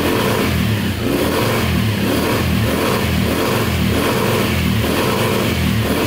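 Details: 2010 Polaris Outlaw 90cc ATV after a carb clean, held flat out: note pulses about once a second as it bounces off the rev limiter, revs out cleanly; still smoking, owner suspects oil seeping past stuck rings.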